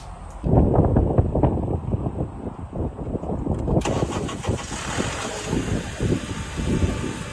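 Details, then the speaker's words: 2009 Honda Accord, about 350,000 miles, stalling when shifted into reverse or drive: engine cranks and catches, then runs lumpy with uneven low pulsing and a hiss; a big hole was later found in the air intake hose. "So essentially in that clip I was asking you guys why Does my car shut off when I reverse and when I put my car in drive?"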